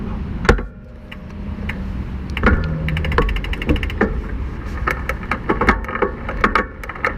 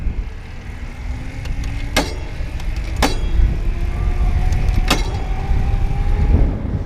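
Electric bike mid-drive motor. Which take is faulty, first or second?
second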